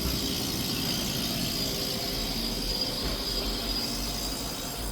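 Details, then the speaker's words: Refrigerator compressor with lack of compression, heard up close: steady hiss over light mechanical hum with no pitch change, gas leaking back inside and not being pushed; internal leak, loss of compression. "Tem mais algumas características aqui de falta de compressão que eu vou mostrar para vocês nesse vídeo. Vamos lá. Ó, ó o chiado. Bem de perto você consegue perceber."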